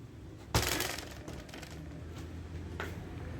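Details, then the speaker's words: Motorcycle rocked on its center stand gives a sharp metallic clatter from a loose rear license plate rattling against its bolts. "Kamu bisa mendengarnya, kan? Ini menjengkelkan dan kasar."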